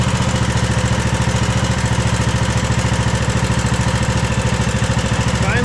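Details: Craftsman DLT3000 lawn tractor single-cylinder engine after swapping to a cleaned Walbro carburetor that cured backfiring and surging; idles at a steady, even beat around three and a half firings per second, smooth and settled. Normal idle.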